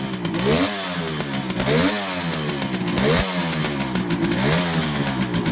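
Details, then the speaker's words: 1971 Kawasaki H1 500 three-cylinder two-stroke with rebuilt engine revving unevenly, ragged and stumbling: no spark on the center cylinder; ignition, spark plug or plug cap suspected. "okay we're testing the ignition but we have no spark on the center cyinder so we're going to try to figure out [Music] why"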